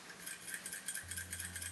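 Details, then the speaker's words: MSR DragonFly liquid-fuel stove, cooled 5 minutes with fuel line disconnected from pump, shaken up and down: quick light metallic rattle about six times a second as the shaker pin moves freely, clearing the jet of deposits. "You will hear the shaker pin clearing the jet."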